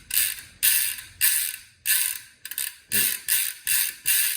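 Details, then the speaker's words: Bicycle freehub after cleaning and reinstalling with spacers, wheel spun in reverse: crisp rapid ratcheting clicks in even bursts; pawls engaging cleanly. Before cleaning, the freehub held and dragged the chain forward. "So this is why this needs to be cleaned out, and that's what it should sound like."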